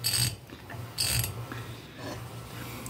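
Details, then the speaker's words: Electrolux LPR17 washer with noise during agitation. With the input shaft turning and the agitator shaft held, dry ratcheting clicks and gritty grinding come about once a second as it slips. One or more gears are suspected stripped inside the sealed gearbox, not confirmed. "ele tá girando em falso tô segurando Aqui ó era aquele barulho que estava fazendo lá dentro"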